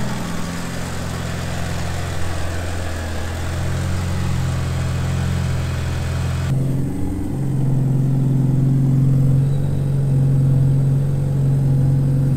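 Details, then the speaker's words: Rebuilt 2.37 stroker 4G63T Mitsubishi Lancer Evo 5 (600+hp build, CP Carrillo pistons, Manley rods) on first start-up while the fuel table is being sorted. Starts easily and settles into a steady, even idle with no stumbles or misfires; normal idle. "after a couple more tweaks of the fuel in we're now into the four teens 14 freeze on idle absolutely spot-on"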